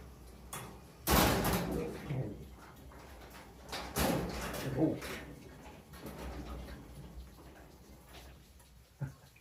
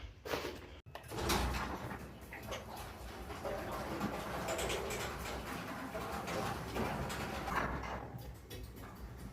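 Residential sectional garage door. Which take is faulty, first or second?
first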